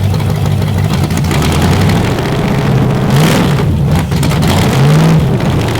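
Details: Chevy 350 small-block V8 on a test rack, first fire-up with fuel in the float bowl, timing set by ear: deep, even burble climbing cleanly on two quick revs and settling to a steady idle; healthy running, minor gas leak noted.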